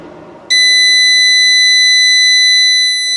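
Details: Harbor Freight Centech 2000 W inverter (model 69662) on a new 100 Ah LiFePO4 battery, trying to start a 9,000 BTU RV air conditioner compressor: loud steady high-pitched alarm for nearly three seconds; inverter overload.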